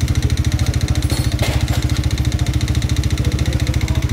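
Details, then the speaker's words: Engine whose knock grew steadily louder, scoring the block: steady idle with a heavy hammering knock on every beat, about twelve a second, loud over the exhaust, called piston knocking; connecting rod knock. "Eh, malayo pa lang, alam na yan eh. Ganyan ang tunog ng ano guys, ng piston knocking."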